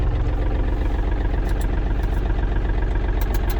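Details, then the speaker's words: Yanmar AF230 mini tractor with cab, diesel, low hours: starts without trouble and settles into an even idle with a steady beat of about four pulses a second, no knocks or misses; normal idle. "Давайте запускать собственно запуск Я думаю что проходит без проблем при такой наработки так работает ровно"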